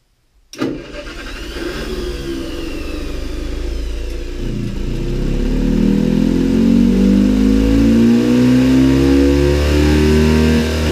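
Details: John Deere 720 two-cylinder diesel tractor after clutch/transmission repair, first start: catches after brief crank, even slow two-cylinder putt climbing cleanly with revs; slight flywheel scraping on cover noted afterward, transmission noise gone.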